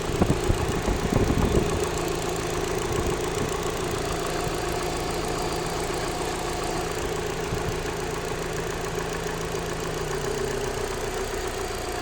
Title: Alfa Romeo 156 1.6TS ticking sound in the upper engine bay